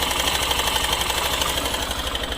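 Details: Hero Super Splendor BS6, 727 km, first service not yet done, idling: fast tinny metallic rattle over the steady beat, starts a few seconds after startup; timing chain suspected, not confirmed.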